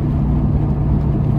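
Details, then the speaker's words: Toyota Tacoma test drive after replacing corroded brake caliper slide pins, anti-rattle springs and clips: only steady road and engine rumble, no brake clattering or rattling; normal brakes, no rattle. "so far so good I don't hear the rattling"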